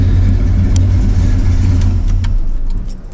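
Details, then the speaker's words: Carbureted V8 (Chevy C10 that had been dieseling at every shutoff), warm after driving, idle mixture screws about a turn and a half out: steady low idle cuts off within a second with no run-on or dieseling. Vacuum readings still low; slight carb fuel leak noted. "Here we go. Didn't run on. No dieseling. So, everything is pretty good."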